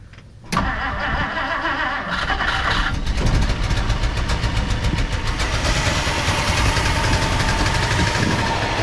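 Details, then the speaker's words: 1959 Plymouth Savoy after swapping in a cheap Amazon carburetor: cranks and catches quickly, then an uneven, loping idle with irregular pulses. Vacuum leak suspected. "know seems like there's a vacuum Le yeah seems like there's a vacuum leak um it ran though so that's good"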